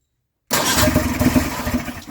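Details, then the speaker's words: Polaris snowmobile two-stroke after the new fuel pump was fitted, with plenty of fuel pouring from the rail. The engine catches and rattles unevenly for under two seconds, running on only one cylinder. "Look, it's riding on one side."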